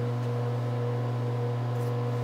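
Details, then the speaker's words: Fan-cooled 10,000 W transformer powering a Scotle IR 360 rework station's bottom IR preheaters: a loud, steady low hum with a fainter higher tone, normal buzz from heavy current draw. "it's definitely pulling a lot of juice on those preheaters because you can hear the noise in the"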